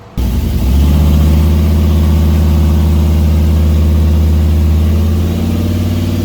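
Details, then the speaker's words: SBE turbo Dakota R/T on dyno pulling about 660 whp at roughly 19–20 psi boost: strong steady full-load drone without stumbles or misses; no breakup after ignition work, head gaskets appear okay, background hum is the dyno. "Well, it didn't blow up, knock on wood. Right around 660. It's probably on 19 or 20 pounds of boost, maybe."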